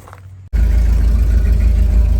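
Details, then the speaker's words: Ford F600 pickup with a fuel delivery problem, after fitting a new fuel line and switching to draw from this tank: engine catches and settles into a steady, deep, even rumble, no misses or knocks; normal running. "All right, so we see it drawing out of this tank. It's doing what it's supposed to do."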